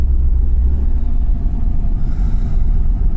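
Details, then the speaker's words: V8 on Holley ECU running E85 flex fuel (63%), cold start at 21 degrees, 22 psi oil pressure: deep, steady rumble at cold idle, even and smooth with no misses or knocks; normal cold idle. "so yeah cars running uh yeah it wasn't a bad cold start considering the e85 um yeah this thing runs great on the holley"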